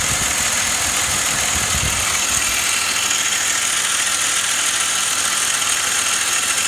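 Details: BMW E39 530i, 150,000 km, at idle. A loud hiss and light, uneven ticking from the top of the engine with no clear rhythm; the owner asks what the noise is, source unknown.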